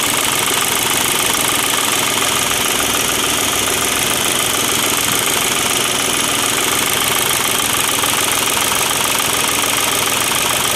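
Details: Volkswagen diesel after the injection pump's broken internal spring was replaced and the pump reinstalled: even, quick clatter around three beats a second at steady idle with no odd knocks; healthy after repair.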